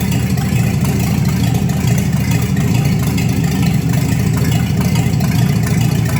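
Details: 1954 Chevy 3100 truck with later-model 235 six, dual carbs, new short-shaft water pump, old gas still in tank: smooth steady low idle rumble, even beat, no knocks, ticks or stumbles; sounds real good.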